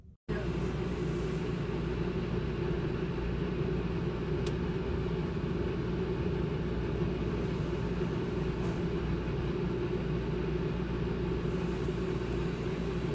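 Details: New Houghton Belair 2800 rooftop AC on a class B RV, replacing a loud original unit; low, steady hum and airflow rush with no rattles or squeals, quiet unit running normally.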